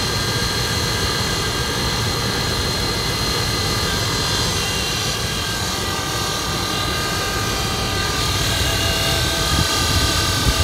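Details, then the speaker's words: 2004 Dodge Ram 1500 running at idle: loud rough whirr with a thin whine on top from the alternator; vibration felt, and with belt off the alternator doesn't spin freely, pointing to bad bearings; alternator replaced along with idler pulleys and belt tensioner. "I believe it's the alternator. I can hear it coming from the alternator. I can feel it."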